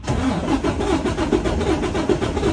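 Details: 2020 Freightliner Cascadia DD13 diesel, about 945-954K miles, after oil and fuel filter change: ragged, uneven sputtering crank with lumpy beat; relative compression test fails, valve lash out of adjustment, valve adjustment due every 100-150K miles.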